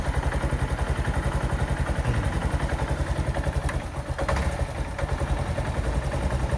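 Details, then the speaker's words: Honda Wave 110i automatic in for a no-start with no spark at the plug, brake-light switch circuit bridged: steady even single-cylinder putter with no misses; normal idle, stays running once started even with the brake switch disconnected. "ถ้ารถติดเครื่องแล้วนะครับเราทำการดึงไฟเบรกออกมันก็จะติดปกตินะครับเพราะว่ามันทำงานไปแล้วนะครับ"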